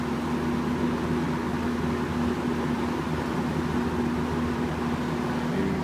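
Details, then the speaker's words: 1983-84 Sears (Lasko) Model 8121 box fan on medium speed: a steady hum with a constant tone near 200 Hz over the airflow; the fan motor whines. It was louder before its washers were in place. "Now medium, you can really hear that motor whine."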